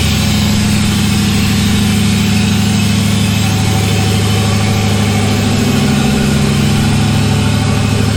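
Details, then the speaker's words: LS1-swapped S10, cold idle about 1500 RPM, no intake tube or filter fitted: steady even V8 idle held fast with busy open-intake rush; high idle, probably still needs a tuner. "It's been idling, cold idle. It's idling about 1500 RPM."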